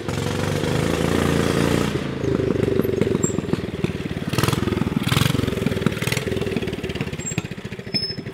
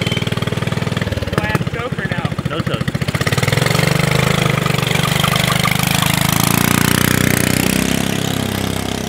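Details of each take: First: Subaru Robin 9hp Yerf Dog go-kart with a new 26mm Mikuni carburetor, warming up: it runs smooth, then turns ragged with popping and stumbling when revved, acting lean. Fix: reposition the needle e-clip for extra fuel. Lean running sputter. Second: Subaru Robin 9hp single in a Yerf Dog go-kart after swapping the 22mm for a 26mm Mikuni carburetor, on a test drive: idle thumps rise into a smooth, steady drone pulling away. Normal running; the lean condition is fixed.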